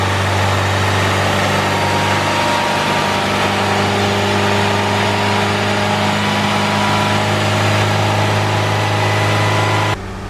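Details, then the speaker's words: Turbo Honda Civic with eBay turbo kit and Hondata S300 ECU, after heating manifold and retorquing bolts: steady, even idle with smooth low hum, no exhaust puffing or ticking from manifold or wastegate; exhaust leak fixed, sounds healthy. "That sounds a million times better, and I'm not getting exhaust out of the wastegate."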